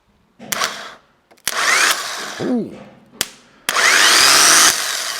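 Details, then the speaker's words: Renault Master van, long-standing non-runner, cranked in short bursts: harsh, rough high-pitched helicopter-like whir from the starter motor; worn starter, to be replaced. "So, the starter motor, even though it sounds like a helicopter, does sort of work."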